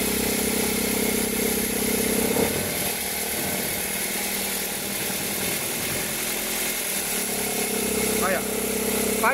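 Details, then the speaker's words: 2003 Toyota Corolla cold engine at idle, noise only when cold, fading as it warms: harsh rattling whir that swells then fades. "Fez o barulho e parou. Olha o barulho forte. Diminuiu. Olha o barulho. Esse barulho, essa é a reclamação do cliente."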